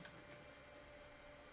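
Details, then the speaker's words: 2002 PC (ASUS A7N8X-E Deluxe, Athlon XP 3000+) running in BIOS: quiet steady whir with a thin constant whine; the fan on the Inno3D GeForce2 MX400 graphics card is making the noise. "it's the the fan on the graphics card is making the noise yeah so that's unfortunate"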